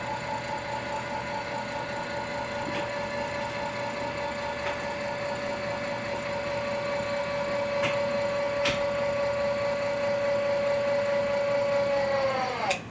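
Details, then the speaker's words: Indelac AS series spring-return electric actuator driving back to fully open: smooth mid-pitched motor whine at steady pitch for about twelve seconds, stopping cleanly at end of travel; normal run. "now we're in the fully open position, and I'm going to remove the power."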